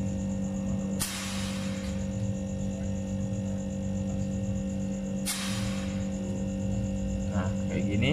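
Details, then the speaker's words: Refrigerator not cooling after two compressor replacements, newly fitted compressor running: constant low droning hum with a coarse edge and faint rattle; compressor roaring harshly, suspected restricted refrigerant circulation. "nah ini untuk kompresor di sini sudah mulai Meraung teman-teman ya Jadi udah mulai Kasar banget suaranya"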